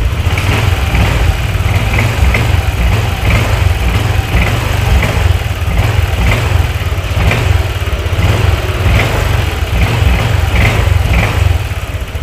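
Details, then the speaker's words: Honda Vario 150 scooter idling after arcing spark plug cap was replaced (temporary PCX 160 cap): no more sparking, starts easily, throttle smooth; steady light regular tick, no stumble or misfire; misfire (brebet) cured. "Dan untuk gasnya juga enak, sudah nggak berbet lagi, dan ketika dihidupkan ya itu udah enak, jadi nggak kayak tadi itu susah ya"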